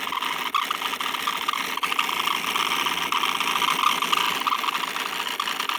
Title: Broken laptop fan sounds like a high pitched distorted fart with vibrating noise under it